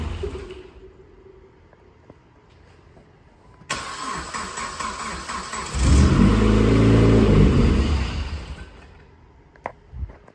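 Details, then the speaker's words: 2008 Dodge Caliber SRT4 with a built 4B12 engine (forged pistons and rods) on first start-up catches and revs briefly with an extra droning rumble from an unconfirmed accessory, then stalls; possibly out of gas. "She's wanting to Golly, something over here is making ruckus."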